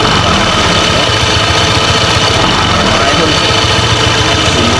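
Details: Honda PCX 160 after DIY CVT slider piece replacement and cleaning: steady, smooth idle hum, even engine beat, no rattle or grinding from the drive side; earlier CVT noise gone, sounds normal.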